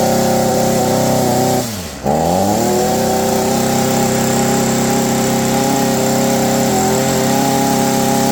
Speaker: you can definitely tell that this is not winding out like a two-stroke engine should it doesn't have that high-pitch sort of whale to it